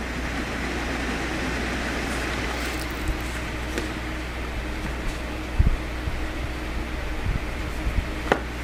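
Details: Old window fan after repair of a motor that had overheated and would not spin, with fan blades set too low; now runs much quieter with a steady, smooth low whir and no rubbing or ticking; normal fan operation.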